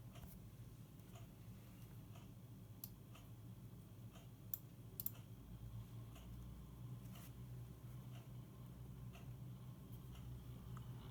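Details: NZXT Kraken X62 PC liquid cooler: light, uneven ticks about twice a second over a low fan hum, occurring only between 35–60% fan speed.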